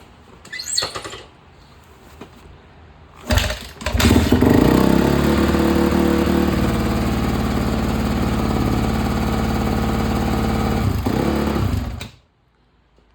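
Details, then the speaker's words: 2008 Honda CRF250R after valve shim adjustment, cold start on choke with a wired-on header spring: a few kicks, then catches into a steady, even idle, a little loud from the choke; normal cold start. "kicks to start chokes on that's why it's a little loud"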